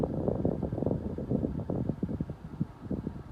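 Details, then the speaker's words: Car cabin blower fan after the blower motor was replaced to cure a faint rapid ticking from the passenger side: only air rushing from the vent, quiet and with no ticking. "I just hear air blowing perfect so it's nice and quiet now"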